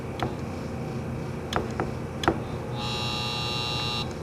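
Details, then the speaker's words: 2009 Embraco fridge compressor from a Whirlpool side-by-side, start attempt with capacitor in circuit: a few sharp clicks then a harsh steady electrical buzz for about a second with no spin-up; locked rotor, fails to start. "Same thing... That was with the capacitor trying to help it go."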